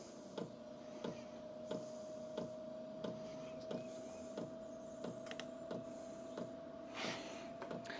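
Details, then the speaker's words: 2025 VEVOR 8 kW diesel heater, new, starting up: sharp regular ticks about every two-thirds of a second over a steady fan hum as the fuel pump primes, drawing about 100 W and rising. Normal priming. "So, let's get into the startup modes here. All right. You can hear it priming itself."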